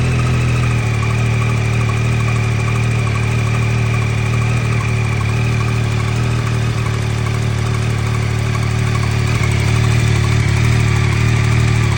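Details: 2023 Yamaha XSR900 at idle after a cold start: light, fast ticking over the low engine hum; owner asks whether this is normal.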